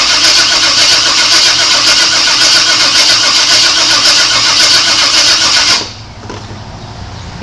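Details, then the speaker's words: 1997 Chevrolet Suburban that sat for years: steady fast cranking at about four a second for over five seconds, no firing; the coil wire sparks but the distributor appears to deliver no spark, cause not yet confirmed. "that's what it is no Sparky no Sparky Sparky coming from the distributor"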